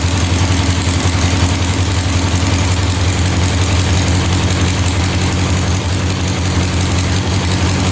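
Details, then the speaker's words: 1967 Volkswagen dune buggy, non-runner revived: loud, heavy, slightly lumpy idle that never settles, smoking; automatic choke stuck closed, running rich; owner suspects a temp sensor should open it once warmed. "The choke was not turning off, so that must turn off once you get this engine warmed up, because it looks like it's attached to here, which I'm guessing is what opens and closes the choke butterfly, and then that's connected to here."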